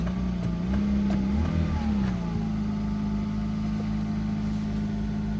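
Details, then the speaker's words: Mercedes-Benz W124 300CE-24, 203,000 km, dead cold morning start with cold radiator: steady smooth low hum, brief pitch rise and fall, then even settled idle; good oil pressure, normal cold idle. "okay let's see how it starts there you go code start it's running from a dead cold like you know"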